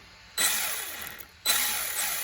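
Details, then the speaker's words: Maverick Strada XT RC car, test run before repair, with the factory pinion offset from the plastic spur gear; two short throttle blips give a clean high whine rising and fading smoothly, no clicking or grinding, front and rear driving. "right so that's actually running there we can see that and the front there we go"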